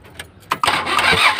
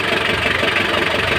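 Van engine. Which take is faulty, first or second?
first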